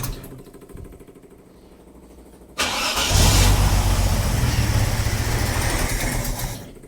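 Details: 45-year-old 2.8-litre Vauxhall Royale coupe, newly refitted Weber carburettor at baseline settings, choke cable off: quiet cranking, sudden catch, rough uneven running about four seconds then dies; hard, poorly fuelled start. Cause suspected, not confirmed.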